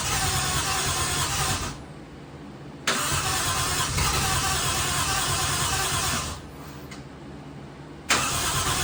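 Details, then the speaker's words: Toyota 1JZ-swapped Mazda RX7 first start after installing fuel rail, fuel pressure regulator and fittings: loud cranking with a few catches that die away twice, sounding like it wants to pop off; fires but won't keep running, cause unknown. "It fires a couple times and just doesn't want to run, so I don't understand what's going on."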